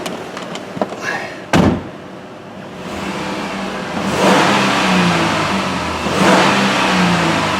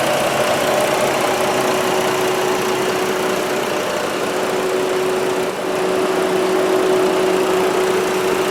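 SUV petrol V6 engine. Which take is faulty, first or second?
second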